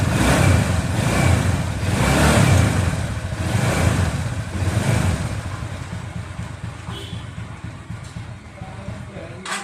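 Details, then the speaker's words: TVS Ntorq 125 scooter after timing chain replacement, timing set to TDC mark and tappets checked: even, steady idle with no ticking or rattle; chain noise gone, engine sounds healthy. "अब चलिए गाड़ी start करते हैं और उसकी आवाज सुनते हैं। यह देखने के लिए कि कोई शोर है या नहीं।"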